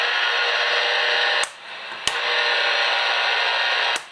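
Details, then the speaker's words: Radio held near a Cree LED light bulb. A constant harsh hiss floods the radio, dropping out briefly twice, and it decreases as the radio moves away. Radio frequency interference from the LED bulb. "now in addition to the fluorescent light bulbs we also have LED light bulbs which also give off quite a bit of noise this one in particular is a cre light bulb that says it's a better LED light bulb but as you can"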